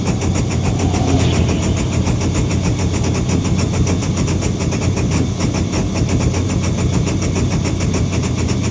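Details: Engine idling with an irregular, stumbling pulse of about three beats a second and an unsteady rumble; rough idle.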